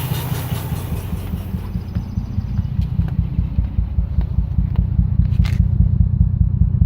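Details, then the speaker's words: Lexus IS300 at idle after the engine bay was washed: owner hears a weird noise from the intake and the exhaust, a deep, slightly uneven rumble pulsing two to three times a second; unusual exhaust noise, cause unknown. "making a weird noise in the intake. Then my exhaust is making a weird noise too."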